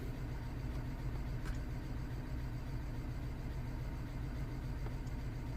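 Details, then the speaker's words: 2009 BMW 318i E90, 2.0 petrol (unconfirmed), idling: quiet low idle with uneven lope and recurring stumble; misfire still logged on cylinder 3 after parts were swapped, while cylinder 4 injector leaks and seems not to be the cause. "we have an injector that is leaking and we have something wrong on number three whatever now wow i was definitely thinking that my problem would move"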